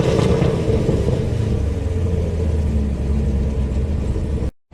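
Deep, even rumble that builds smoothly as the V8 pulls, with no knocks, misses or whine; it sounds healthy on the drive.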